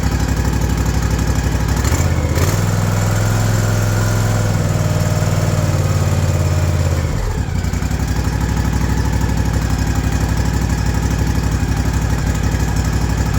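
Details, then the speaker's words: Ariens Ikon mower with a Kawasaki FR691V V-twin, 5 hours old, after the carburetor was pulled and cleared of sawdust-like debris and a new fuel filter was fitted: low, even throb holding steady without hunting; the surge is fixed, normal idle. "thank you it seemed to fix it hope it helps"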